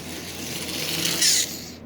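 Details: Marx 999 toy locomotive motor, unmoved for decades, just after silicone lubricant sprayed into armature: small motor whirs with dry scratchy gear chatter that rises then dies away; motor runs, but gearing is dry.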